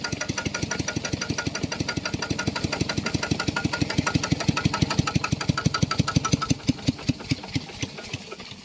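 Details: Piston water pump whose crank assembly clanked loudly from lack of lubricating oil, after adding about 1 litre of oil: steady, even chugging of about six strokes a second with no knock. The crank now sounds healthy.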